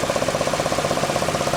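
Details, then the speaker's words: 2008 Chevy Equinox, a day after a free dealer repair for a cracked cylinder 3 spark plug following a warning letter: fast, steady puttering tick over the idle, from the distributor area; starts once driving, cause not pinned down. "But I looked in here and it just seems like a puttering, but I can't determine where it's coming from. It just looks like it's coming from that distributor area, but I don't see anything loose."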